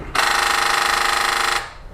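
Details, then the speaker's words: 2013 BMW 328i with N20 engine, engine off: a rapid buzzing rattle, about twenty clicks a second for a second and a half from the engine bay on locking or unlocking, a failing Valvetronic motor, not a door lock actuator. "you guys hear a strange noise coming from the engine area engine bay when you lock or unlock the car it sounds like a bad door lock actuator but it's not"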